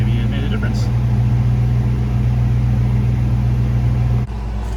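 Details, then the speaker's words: 1995 Ford Mustang GT: no power, popping after MAP sensor cleaning and fuel filter change. Loud steady low fuel-pump buzz under the engine that cuts off abruptly; owner suspects the fuel pump is failing. "You can hear the fuel pump buzzing pretty loudly, so I wonder if the fuel pump is also going out."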